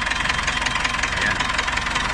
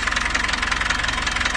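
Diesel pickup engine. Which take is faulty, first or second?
first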